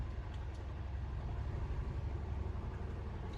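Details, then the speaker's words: 2003 Oldsmobile Alero 2.2L Ecotec with a cylinder 1 misfire code, after replacing the cylinder 1 plug boot: low, uneven lumpy idle that still shimmies; misfire not fixed by the boot. "I'm going to power up the engine and see if the misfiring is gone betting that it won't be alright here we go you know no different still shimmies"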